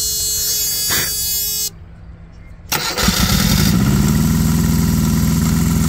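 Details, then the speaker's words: Perkins diesel engine in a Green APU on a Volvo VNL 780 truck, after alternator and belt replacement, waiting for compressor to kick on: cranks and catches, then a harsh high squeal over the idle; belt still too loose. "Still not tight enough. I have to take this off again."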